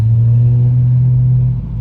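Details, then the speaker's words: BMW E90 with N54 engine, around 130k miles, after front and rear turbo vacuum lines were replaced; the problem was a seized wastegate actuator. A deep, strong rev holds steady, then drops away cleanly with no misfire. Healthy. "No, no, that's actually very healthy, bro. Yeah, that's how it's supposed to sound like, bro. You've been missing that sound for bricks."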